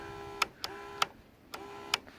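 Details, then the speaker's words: Electric fuel pump on an MTD-based project mower with a 173cc Predator engine, switched on from the dash, heard running normally: quiet with a faint hum and five sharp ticks in just over two seconds. "This one back here is fuel pump. You can hear that."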